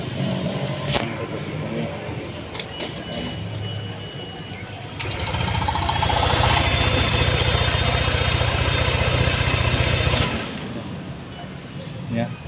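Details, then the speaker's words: Honda Vario 150 after a piston and ring replacement done for thin white smoke, test run after reassembly: engine catches, settles into an even, steady idle for about five seconds, then shuts off; smooth, normal idle. "Sekarang coba kita tes. Bos, sedang tes. Ini bisa teman-teman dengarkan suaranya ya."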